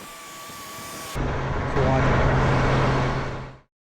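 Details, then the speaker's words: 3rd gen Toyota 4Runner after repacking dry front and rear bearings of 3-year-old alternator, oil fresh: engine catches and settles into steady even idle, low hum, no knocks, squeals or rattles; healthy. "after I start it up I check for any crazy noises or any leaks and we are good to"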